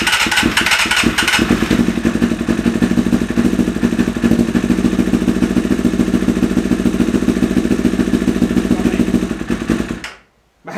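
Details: 1988 Kawasaki ZXR250 four-cylinder on choke and a little starting spray; uneven, lumpy idle with irregular popping and a stumbling beat, then cuts out; owner guesses it's running on 3 cylinders, bowls nearly out of fuel; suspected, not confirmed.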